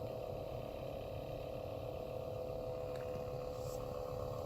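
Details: 2013 Toyota Prius C cabin blower motor running noisily before replacement with a new motor assembly; owner found nothing stuck inside; steady whirring roar with constant mid-pitched tones, no speed change; noisy blower fan.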